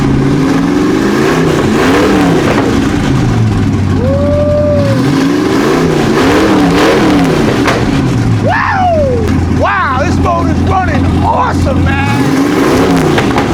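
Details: Big Ford V8 after carburetor cleaned by soaking in Pine-Sol and distributor housing notched for timing: revs up and falls back cleanly several times, returning to smooth even idle without misses or stumbles.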